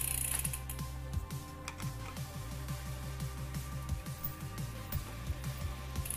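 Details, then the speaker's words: Mountain bike front derailleur during adjustment, chain shifted to the smaller rear sprocket: light repeated ticking and scraping as the cranks turn, the chain rubbing the front derailleur cage, so it still needs adjusting. "so I'm going to shift into the smaller sprocket to give it the most direct same line with it helps pocket and fine-tune if necessary as you can hear that's actually need adjustment"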